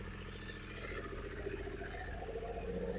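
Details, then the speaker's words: Triumph Speed Triple 955i starting easily, fuel pump priming sound at start (owner suspects pump problem; petrol leak noted); steady even idle with quick regular beat and light mechanical chatter. Normal idle. "So it fires up easily enough. Yeah, there is when it starts up first, there was that sound which I think is the fuel pump priming."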